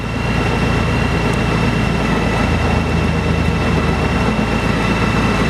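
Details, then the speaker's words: 2002 Honda Goldwing GL1800 with Champion trike kit, 81,710 miles, starts right up and idles with a steady, even low hum, no stumbles or knocks, stereo playing over it; runs beautifully, normal idle. "Starts right up. This bike runs beautifully. You would have no idea from when you ride it that it has 81,000 miles on it."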